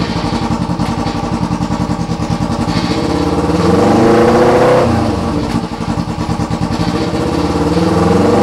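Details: 2008 EX250 motorcycle chassis with a swapped-in EX500 engine on fabricated brackets. Crisp twin-cylinder pulses at idle, smooth rev up and back down, no knocking, banging or tapping; engine sounds healthy.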